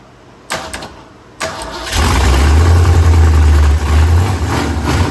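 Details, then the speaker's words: 2004 Mustang Mach 1 starting after work on the engine; brief crank, then a deep choppy lope at idle from a cam, described as "a nice little cam in it, ain't that bad." "It's got a nice little cam in it. Ain't that bad."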